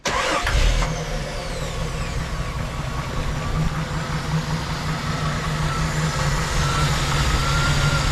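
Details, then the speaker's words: Jeep CJ/YJ 4.2 inline-six after carburetor swap, vacuum advance line unplugged, idle screws about 2.5 turns out, started hot: brief crank, catches right away and settles into a steady, even idle with no stumbling; healthy hot start. "that's how we like it we're at about 2 and 1/2 turns out on the idle screws so a little more than we normally would be but uh it's happy as a clam"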